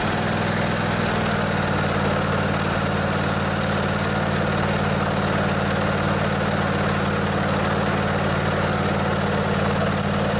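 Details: Craftsman DYS 4500 riding mower, 24 HP Briggs & Stratton Intek twin, after storage and a full service with the fuel tank cleaned and the carburetor refilled. Steady, even putter at constant speed with no surging or missing; running healthy.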